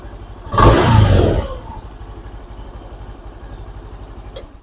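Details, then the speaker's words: Honda Beat FI scooter with intermittent starter despite new battery, after cleaning rusty starter relay terminals: brief strong crank, engine catches and settles into steady idle; electric start working normally. "Jadi benar ya teman-teman ya masalah kaki-kaki relaynya itu agak-agak kotor ya jadi dia itu berkarat teman-teman ya Jadi kita bersin aja dia jadi normal lagi"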